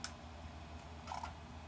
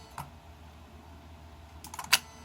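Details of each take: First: Bench test of a repaired Mercedes E320 throttle control module with the throttle body unplugged to simulate a throttle body fault: under a low hum, a sharp click then a faint double click as the relay drops out and shuts down. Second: Bench test of a repaired Mercedes E320 throttle actuator and throttle control module: a faint tick, then a short cluster of sharp relay clicks as power activates the computer and throttle; the bench circuit operates normally.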